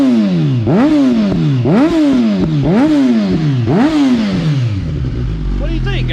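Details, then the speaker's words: Suzuki GSX-S 1000, hot, after aftermarket header install, before ECU flash: idle rises and sags about once a second, revs hunting; lean idle surging from too little fuel, to be fixed by ECU flash. "Hear the surging in the idle? So that's where the bike is super lean now, meaning not getting enough fuel."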